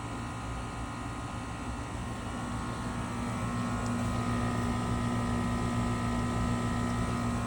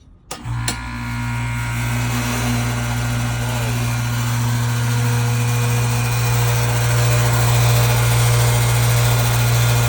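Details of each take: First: New Trane 5TTR5 single-stage condenser (5TTR5048A1000A) replacing a 20-year-old builder-grade unit; steady even hum with smooth fan whoosh, no rattles, measured around 70 dB, 10 dB quieter than the old unit's 80 dB; normal condenser operation. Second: About 20-year-old rusted builder-grade AC condenser, outdoor unit at startup before replacement with a new Trane 5TTR5: steady, heavy low hum and constant drone, extremely noisy; excessively loud condenser.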